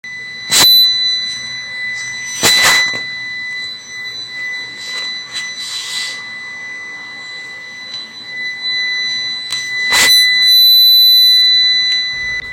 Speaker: Friends, UPS దగ్గర ఇలాంటి sound వచ్చిందంటే ఏంటంటే ప్రాబ్లము, దీంట్లో బ్యాటరీ టైం అనేది అయిపోయిందండి. సో బ్యాటరీ అనేది ఇక పనికి రాదు.